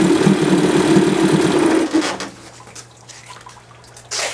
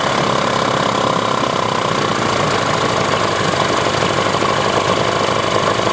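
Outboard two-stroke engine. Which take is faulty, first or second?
second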